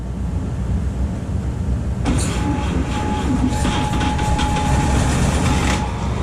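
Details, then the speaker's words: 1951 Chevy 1430 pickup inline-6, previously seized and pickled with oil, last run 1976, cool morning: rhythmic chugging about three beats a second on the starter, never catches; owner suspects low compression from stuck rings. "go it's like it's a compression game i gotta get this thing to run long enough so these rings will free up"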